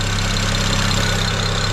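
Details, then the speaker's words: BMW E90 335i N54 after oil filter housing gasket work, fitted with a high-flow oil filter, idling while warming: steady, smooth low hum, no whine or ticking; quieter, owner suspects the old plastic filter caused an alternator-like noise; no oil leaking. "So I just thought I'd show you, it's actually, the engine sounds quieter now. And I reckon the plastic oil filter was making a noise. It used to sound like it had a bit of an alternator noise. But she is quiet."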